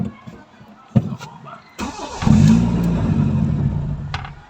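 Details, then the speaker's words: Toyota Corolla with 2E engine: short crank, catches, revs briefly, then sags and dies within two seconds; won't hold idle because of a faulty idle solenoid, being replaced with a new part. "oh namamatay pa ulit ayun So ang sakit niyan ay ito so Ayan mga kabas ang sira niya ay ito ang ating Idel solenoid"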